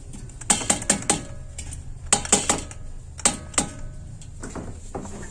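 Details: Gas water heater (LPG) after cleaning a sticking membrane: quick burst of sharp igniter ticks, pause, more clicks, then burner lights immediately; normal ignition.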